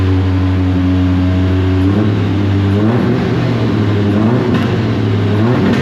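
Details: Deep Orange 9 car, freshly rebuilt engine's first start, apparently running partly on starter fluid; revs rise and sag unevenly with someone holding the throttle, no settled idle; won't idle on its own, cause suspected not confirmed.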